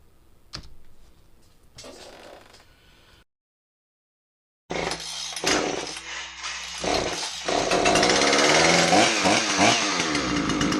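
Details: John Deere CS46 chainsaw after no-start repair: a few weak pulls, a short silence, then it fires and holds a strong buzzing run with rising revs, no stumbling; runs normally.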